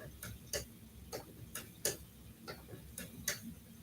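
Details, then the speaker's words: Spinning wheel, uncleaned for five or six years, while treadling alpaca: soft uneven clicks, about 45 a minute, in time with the treadle over a low rumble, rubbery sound; owner suspects grit or dry bearings needing oil. "I might also just need to oil it like the bearings I don't know if you can hear it actually it's making kind of like a rubber rubbery sound maybe"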